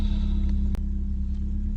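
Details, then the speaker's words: 1995 BMW E36 316i Compact, 1.6 M43 four-cylinder, 28 years old, heard from inside the cabin at idle: deep heavy rumble drowning everything else; the muffler is far too loud. "There's also the muffler, which sounds not great. In fact, it sounds incredibly loud in here."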